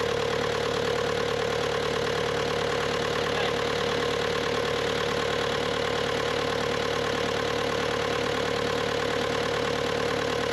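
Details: Bobcat T300 diesel skid steer: steady, even clatter at a settled idle with no misses, knocks or hunting; normal diesel idle.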